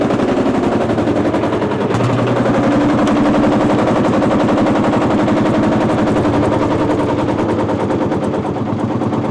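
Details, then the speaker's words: Marshall single-cylinder two-stroke diesel tractor, just hand-started with a glowing heat wick and now warm. Loud, sharp bangs at roughly four per second, evenly paced and steady; it runs healthy. "and that's how you start a two- St Marshall this is this is why I love Marshalls I they're amazing"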